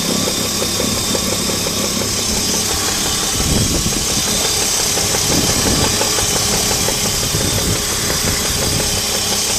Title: Alpina Roadster - engine knocking gets louder